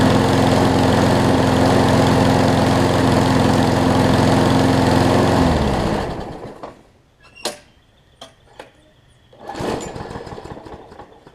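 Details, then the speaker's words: Craftsman push mower after carb clean and oil change (old oil had water and mess in it): runs at smooth, even speed about five seconds then winds down cleanly; no misfires or hunting, running well. "i already got the oil changed you heard it's running a lot better now because the oil in it had a bunch of i think it had a bunch of water and mess in it"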